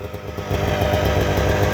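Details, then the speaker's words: 1998 Arctic Cat Z440 fan-cooled twin-carb two-stroke snowmobile, carburetors gone through; burble settles into a steady even idle after a short rev, no stumbling or hunting; normal idle. "kind of is what it is. It's an old sled. Does its job."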